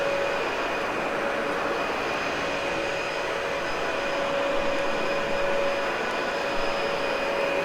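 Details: Cleaned, practically brand-new Dyson UP13 vacuum: steady, even motor whine with a constant airflow rush, no rattles or pitch wobble; normal running.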